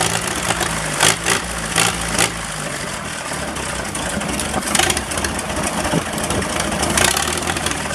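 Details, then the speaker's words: Massey Harris 44 tractor after sitting seven years, points filed but spark still weak from remaining corrosion: old four-cylinder idles with an uneven, lumpy beat and the odd stumble; runs slightly rough. "running just a little bit a little bit rough but um five eight gallons ten gallons of gas through a little bit brings up and down the road"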